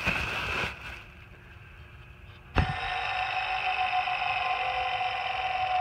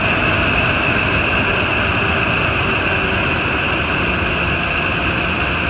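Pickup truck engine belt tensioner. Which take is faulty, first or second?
first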